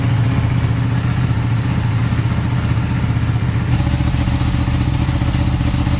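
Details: Ducati 959 Panigale race bike that lost power, misfired and then cranked without starting; after a cleaning, on a low battery it fires into a deep, lumpy, even twin-cylinder idle with no misfire.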